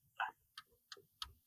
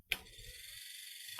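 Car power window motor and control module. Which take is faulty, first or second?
first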